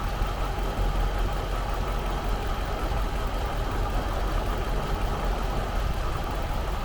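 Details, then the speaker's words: Jaguar XJR supercharged engine at idle, recorded under the hood, before installing a Mina Gallery cold air intake, stock exhaust; even, steady smooth low rumble with no knocks or ticks, healthy normal idle. "So that's what it sounds like on idle, and I'll give it a rev in just a second"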